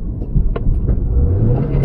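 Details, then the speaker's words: 2006 Subaru Impreza 2.5L single cam wagon, driven about 7.3 miles after head gasket job and battery disconnect: revs hang flat then climb suddenly, sluggish pickup; found to be a dirty MAF sensor. "yeah it's just it's like it does it almost does nothing and then goes up all of a sudden"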